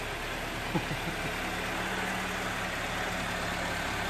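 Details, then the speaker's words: Toyota AE86 project engine restarted with a few revs after fixing the exhaust heat shield rattle, oil burning off: even, steady, smooth low idle with no knocks, misses or hunting; heat shield noise gone, sounds healthy. "Yeah, he's a little camera shy, so not used to the fame and glory. Sounding smooth. Yep."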